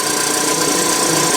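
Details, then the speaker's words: Nissan forklift with K21 engine that cranked with no start, codes E-27/E-28 (crankshaft position concern), now running after the codes were erased, with alternator and water pump not connected: steady, even run with a bright mechanical clatter on top, no misses or knocks. Normal idle. "what we know is going to start now so that should be a fix for this truck"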